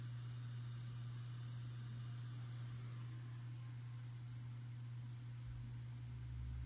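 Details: Seagate 8TB ST8000DM002 desktop drive in a new Intenso external enclosure, sitting idle: steady low hum with a faint irregular rumble, which stops when data is copied; HD Tune shows damaged blocks, while the short SeaTools test passed.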